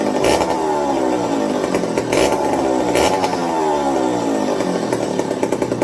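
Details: McCulloch 55 gear-drive chainsaw after a homemade Scotch-Brite pad tank wick and a 090 carburetor swap to cure fuel starvation: revs up and settles back with crisp, even firing, no misses or bogging; running clean, normal.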